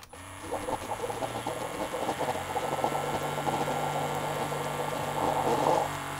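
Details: Keurig coffee maker pump brewing after a repair and modification, with the fill level adjusted slightly: even buzzing pump hum with rapid steady pulsing for several seconds while it pours; normal pump operation.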